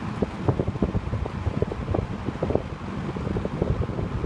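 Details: 1970s TG&Y "Golden T" (Champion) box fan running on high: steady rush of air with a low buffeting rumble and no grinding, rattle or scrape; normal running.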